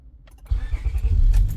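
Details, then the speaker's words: 2004–2008 Acura TL after replacing the ignition switch: a couple of light key clicks, then the engine catches at once and runs steadily. Before the repair it buzzed behind the dash and took several cranks to start, caused by the bad original ignition switch. "Now let's crank it up slowly. Look at that. Starts right up. So it was a bad ignition switch."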